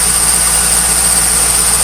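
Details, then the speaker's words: 1998 Trans Am at idle just after start-up: steady, high-pitched bird-like chirp over the engine lasting about 10 minutes; cause found to be a dry-rotted A/C belt, pulleys also worth checking. "If you can hear that, I'm not sure what it is, but it's really fucking annoying. And it does this for a good 10 minutes. I'm not sure if it's the belt."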